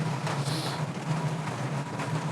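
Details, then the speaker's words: All-in-one 12V/24V/240V diesel heater just lit, microphone brought close to the exhaust outlet, no exhaust pipe or silencer fitted, some smoke. Low steady combustion rumble with slight pulsing flutter and rain patter behind; normal running, just loud. "i can hear it's light now i am bringing the microphone into the noise you can hear it lap granted i don't have any i don't have any exhausts or silences on it's just exiting under the earbud itself"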